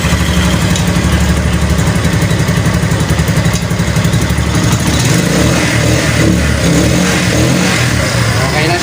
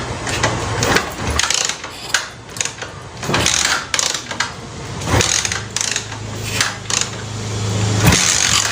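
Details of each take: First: Cafe racer motorcycle after the fuel was turned back on at the tank: it catches and holds a steady run, blipping up and settling cleanly with no misses or popping. Normal revving. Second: Cafe racer motorcycle that has fuel and spark but won't run: repeated kick-start strokes spin the engine but never catch. No start; carburetor suspected.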